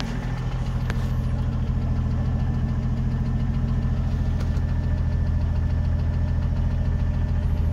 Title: 1980 CJ7 ticking noise part 2